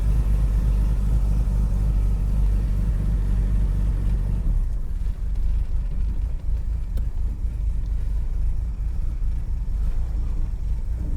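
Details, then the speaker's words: Classic car with Bosch starter that sometimes fails to engage: starts within half a turn, then deep, steady low rumble settling slightly quieter; even, unhurried idle with no knocks or misses. "It is starting so reliably. We're not having to crank it, it's starting within half a turn of the engine."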